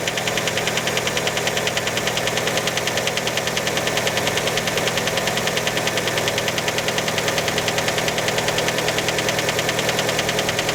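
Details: Fiat Panda just after a cold start: sharp regular knocking at roughly three per second over a steady cold idle; many suspect piston skirt slap, not confirmed.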